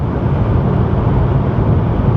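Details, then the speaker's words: 1988 Chevy Cavalier Z24, highway cruise control set at 65 mph, feet off pedals: smooth even low rumble, quiet cabin with no wind leaks, dash or door rattles; no check engine light, runs like a top. "we're doing over 65 M an hour and it's quiet and my feet are still nowhere near the gas or the brakes no joke no check engine light it runs like an absolute top"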